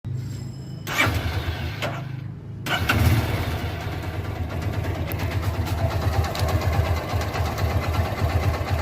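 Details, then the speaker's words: Engine after the belt tensioner was replaced: it cranks, catches and settles into a steady, even low idle with no chirp, squeal or rattle. The earlier odd noise is gone; normal idle. "तो friend जो अलग सा sound था व बंद हो चुका है"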